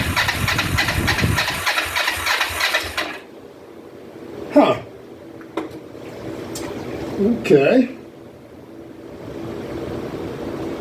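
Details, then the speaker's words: 2004 Kawasaki Vulcan 500 stored two or three years, petcock on prime after float bowl reassembly, choke applied: steady starter churn for about three seconds, never fires, then falls quiet; cranks but won't start, cause not confirmed. "maybe let that uh gas sitting there for a minute see if it works its way down into a cylinder or two and we'll be back in a second"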